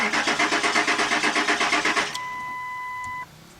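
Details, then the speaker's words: 1997–2002 Ford Expedition, gauge reading empty despite seven gallons added, runs when sprayed with starting fluid: the starter cranks evenly about seven beats a second with no catch and no fuel pump hum; crank no start, pump not priming. "I do not hear the uh fuel pump guys"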